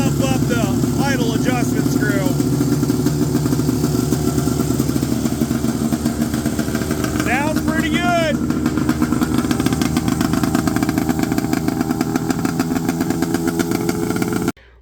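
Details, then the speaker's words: 1970 Polaris Mustang snowmobile two-stroke, after loosening overtight throttle cables and adjusting idle: steady, even putter holding a settled idle with no hunting or misses; normal idle. "all right I got it idling pretty decent here"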